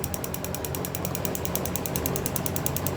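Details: 2011 Chevy Camaro with misfires and intermittent hard start: EVAP purge valve commanded by scan tool at 20–50%, rapid even clicking over low engine hum; valve sticks, failed test, needs replacement.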